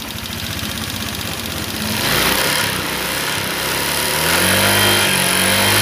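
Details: Old Honda Vario 125 scooter after full rebuild, radiator coolant boiling issue: busy light clatter over idle continuing as it revs, noisy valve clearance with worn, loose rockers.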